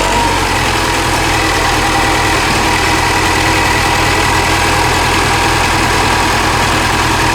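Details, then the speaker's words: Mini Cooper Clubman S idling after new plugs and coils: a loud, uneven, stumbling lumpy idle. Misfire persists and moved cylinders, with cylinder 1 misfire and P0300 random misfire codes. Owner suspects the high-pressure fuel pump. "well this is your interesting ad now I have a cylinder for misfire this is cylinder one this fire rat p300 random misfire"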